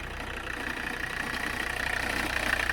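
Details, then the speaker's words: 1985 Mercedes 300CD turbo diesel, warm idle near 90°, running slightly hot. A hard, regular clatter rides over the exhaust note; the owner thinks the engine itself is knocking louder, cause not confirmed. "let's listen to that exhaust sound i think the engine itself is knocking louder in that"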